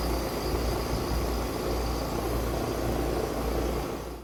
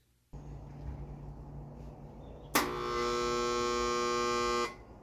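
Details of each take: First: Outdoor AC condenser unit after an owner-replaced capacitor, powered back on with the thermostat set to on: steady low hum and even fan rush, no rattles or buzzing, the fan running normally, showing the repair worked. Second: Central AC condenser gives a loud, steady electrical hum when switched on at the thermostat but never spins up; the common failure is the run capacitor, with the contactor as the next part to try.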